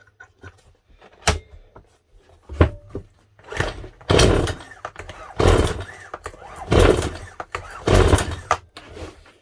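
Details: Stihl MS 181 C chainsaw that ran rough with low power before refusing to start, fitted with an aftermarket carburetor about 4 years ago: repeated pull-cord rasps, never fires. No start on pull; carburetor suspected, not confirmed.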